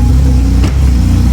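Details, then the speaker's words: Toyota Cressida MX83 on a new temporary exhaust: a low, quiet idle with a slightly uneven exhaust beat after sitting. Rough idle; the distributor is suspected to need adjusting. Oil pressure is good. "the idol's a little rough um i gotta mess with the distributor a little bit more just because uh once it sits for a while i guess it's not happy about uh the way it's sitting"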